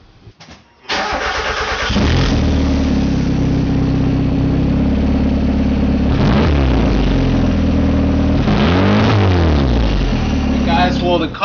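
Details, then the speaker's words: Turbo Miata idling on a new eBay catback after fixing an exhaust leak at the right side of the exhaust manifold, where a coolant-line tab was trapped under it: cranks, catches, steady even idle with smooth blips, no leak ticking. "So quick fix, and as you can see, it sounds pretty good."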